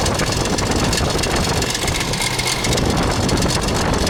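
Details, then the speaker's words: 2000 Ford Expedition 4.6 V8 idling with a constant busy rattle like marbles in a can, from a timing chain slapping against the side of the housing. "you can hear this clickey clacky noise sounds like marbles in a can or whatever common chain is slapping against the side of the housing"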